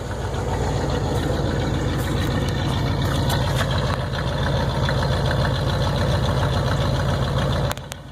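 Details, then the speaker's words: 1981 Buick Electra Limited after a carburetor change, idling: deep loud even puffing about 200 beats a minute with a raw rasp. Exhaust leak at the poorly welded muffler, smelled in the cabin; owner plans a repair and a catalytic converter. "the exhaust noise I'm probably going to get a converter put on and I'm probably going to see about repairing the exhaust leak and the muffler the whoever put the muffler on didn't seem to do too good of a job welding it on and it's got a leak in it"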